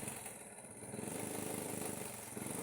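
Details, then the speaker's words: Honda Supra Fit motorcycle that runs but won't move: the small single runs steady, but at full throttle the rpm barely climbs and stays stuck low. The cause is in the engine area, and the engine won't rev because of a worn cam gear. "Setelah saya gas mentok memang RPM tidak mau naik. Dia mentok segitu saja. Ini penyebabnya di area mesin ini."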